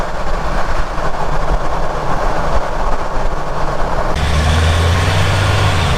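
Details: Ford Ranger Raptor hunting a grinding noise, microphone under the rear near rear diff and prop shaft bearing while driving: steady low road rumble, no grinding or rasp; no noise found here. Normal rear diff and prop shaft.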